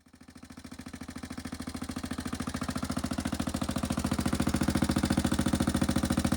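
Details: 1995 Suzuki LS650 Savage single-cylinder converted to a chopper with a custom straight pipe, first start after the build: loud, even open-piped thumps building slightly, then settling into a steady idle; normal idle.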